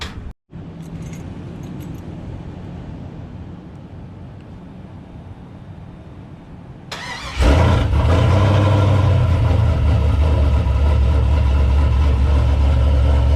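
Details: 1989 Chevy Caprice with LS swap, cold start after suspension work, following an earlier no-start blamed on a dead battery or loose terminal: starter whirs several seconds, then the V8 barks and settles into a strong, steady low idle.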